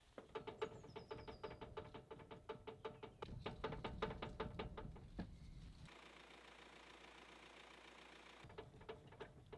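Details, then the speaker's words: VW Transporter T5 front steering, wheel rocked by hand: sharp, fairly regular clacks about two to three per second from a loose tie rod, found to be the worn inner tie rod, not the outer. "hear that? That's the sound of a loose tie rod. And I just realized it's not the outer tie rod that is broken. It's actually the inner."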